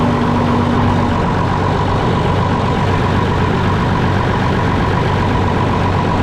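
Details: Concrete pump diesel engine after replacing lift pump and bleeding air from the fuel system: loud steady idle with deep even rumble, no stumbling or hunting, settling and running fine; normal idle.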